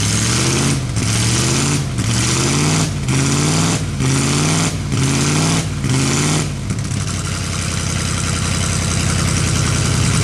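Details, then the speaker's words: Chevrolet S10 engine, sat 2–3 years, first start after fuel pump and throttle body pressure regulator work: slow cranking, then lumpy idle with fast puffing tick, puffing some smoke; exhaust leaks. "Now there's a few exhaust leaks, if you didn't hear it, that I have to go back over."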